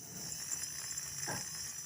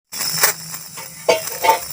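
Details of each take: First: Small DC motor on 5 V supply after rotor removal and reassembly to cure very loud running noise; now spins with a steady, high, even whir and no scraping or chattering, normal running. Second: Small motor on 5 V supply makes a very loud, harsh, high-pitched rasping whir with rough surges; worn, dry rotor shaft causing grinding.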